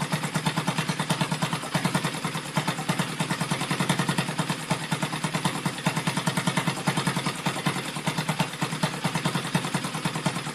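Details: Rebuilt Yamaha Vega (Crypton) single-cylinder engine with balancer, running on the bench without a frame after a rebored cylinder and a larger carburetor: rapid even ticking clatter about three beats per second over a light idle from the top end; the builder identifies balancer gear noise.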